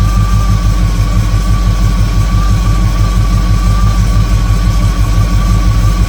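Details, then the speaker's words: 1958 Chevrolet Apache V8 after rebuild, idle set by ear for smoothest, highest rpm: deep, loud steady burble with faint whine, no hunting; good vacuum, excellent throttle response, timing right on, normal idle. "It's got good vacuum. Excellent throttle response. Timing's right on. This is good to go."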